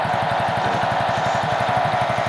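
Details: Hero Honda Super Splendor motorcycle at idle: rapid even ticking about nine times a second with a thin whirring squeal, from a worn bearing on the clutch side, the clutch pressure-plate bearing.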